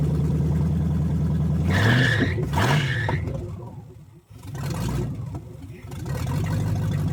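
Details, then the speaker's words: V8 in a 1970 Chevelle, engine from a dirt-filled field, first run after reassembly and hand timing adjustment: lumpy, uneven idle and blips; misfire, possibly one cylinder down. "It sounds okay. Still got a miss, it sounds like. Still sound like we're down one cylinder, but I'm going to call this a win."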